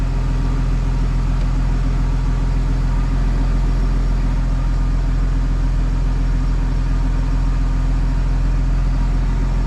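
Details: BMW N54 single-turbo running E60 fuel after a successful MHD flash, with no check-control errors. Smooth, even low idle rumble with no stumbles or hunting; rail pressure has settled around 6.50. Healthy idle.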